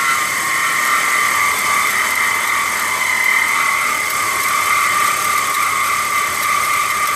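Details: BMW E46 engine running cold: constant high squeal steady in pitch from the engine compartment; caused by bad belt tensioner/idler pulleys, resolved by replacing the pulley kit.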